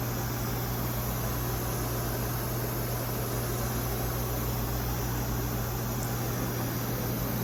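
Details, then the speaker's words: Nextech Excitech Osai R300 4x8 CNC router with servo drives and high-speed helical rack traversing the table at a decent speed: low, smooth steady hum, no clicking or grinding, nearly silent even though the racks and pinions haven't been greased; normal gantry motion. "You almost can't hear it. Super smooth running."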